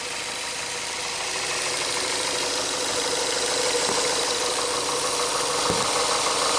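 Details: Smooth, even idle with a steady hiss and no knocking or ticking, heard after an oil change; no oil pressure warnings, and the engine sounds healthy.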